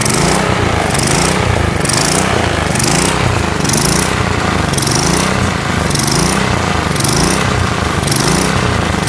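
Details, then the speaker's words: Single-cylinder lawn mower engine being built up as a riced mower: steady, fairly even run, no misses or knocks. Sounds smoother; owner expects some blow-by still. "So it sounds like it is running smoother."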